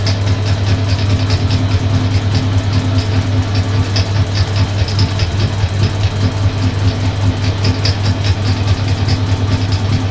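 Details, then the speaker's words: Suzuki GS550 being converted to DIY fuel injection with second-hand Triumph parts, testing the crankshaft position sensor. Crisp, regular injector ticks over a smooth low hum, with a reading of 560–570 rpm. The injectors fire correctly. "the injectors are definitely firing and we're seeing an RPM on the uh on the red counter 560 to 570 which is exactly what it should be"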